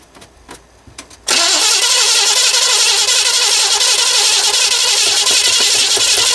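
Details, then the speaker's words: 1970 Chevrolet Impala with Mallory dual-point distributor, static timed, distributor found loose, fuel from tank above pump. Fast even cranking whir, never catches; no spark, suspects no dwell because points aren't opening. "I think we'll see foreign there so we got a few maybe we haven't got Spark I'll try it again"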